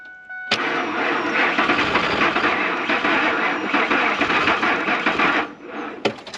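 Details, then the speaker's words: Old Ford F-150 at minus 40 after sitting 4–5 days, block heater plugged in 10–15 minutes, jump pack at 49%: about five seconds of labored cranking with no firing, then it stops; cranks but won't start. "Nope. This is the coldest cold start I've ever done. It's I've never had to plug this in ever. It's not gonna do it today."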